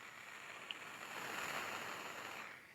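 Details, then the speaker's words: Quad 405-2 power amplifier bought on eBay and sold with one dead channel: steady even hiss with no hum or crackle from the speaker while amplifying; too noisy, cause unclear, capacitors' condition unknown. "okay so i can hear um there's quite a bit of noise coming out of this speaker"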